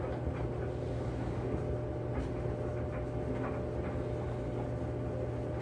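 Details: Kenmore 80 Series electric dryer after motor replacement, wet towels inside, heat not yet felt: steady low hum with drum turning evenly, only soft tumbling thumps, no squeal or scrape; running normally.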